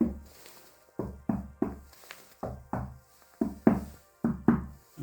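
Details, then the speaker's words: Tapping floor tile at cracked grout in a poorly tiled house; uneven dull taps about once a second with hollow, papery ring instead of a solid click, tile completely empty underneath and lifting, whole floor affected. "Там где трещина Я уже 100% знаю что начинает плитка постучал постучала и плитка вся пустая там вообще пусто"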